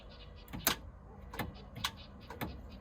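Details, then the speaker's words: OMC 5.8L 400 HP marine engine with a new starter: four or five sharp single clicks about a second apart with no cranking. Owner suspects the solenoid and plans to apply power to the starter directly. "So, the starter's clicking, but it's not turning over."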